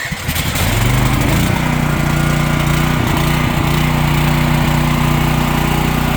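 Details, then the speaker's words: Champion dual fuel generator started with choke on after the petcock was just opened and the fuel system run dry: uneven stumbling firing for the first second or so, then settles to a steady run as the carb refills. "So you can hear how it was sputtering a little bit when it started. That's because the fuel system was dry."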